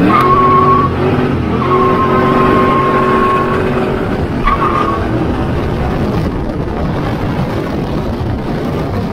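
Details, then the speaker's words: Ford Foxbody V8 after a Megasquirt install and basic tuning. A loud roar with tire squeal during a burnout, the revs climbing cleanly to the rev limiter set at about 5,500. Everything is working correctly. "the car revs great you can hear it hit the rev limiter which is set at like 50 500 so everything is working correctly"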